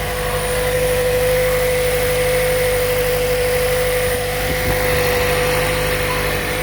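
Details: Steady, even engine hum with constant pitch and no knocks or misses on a Toyota Prius Plug-In Hybrid, just started after jump-starting its dead 12V auxiliary battery; engine running cleanly at idle.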